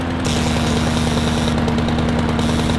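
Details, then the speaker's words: Honda HRR216 mower with auto choke, after carb clean and a high-altitude jet fitted per Honda: starts on one pull but drones steady and low, never reaching full governed RPM, no different than before; cause unconfirmed. "So one pull, that's good. Still not at full RPM. That's a pisser."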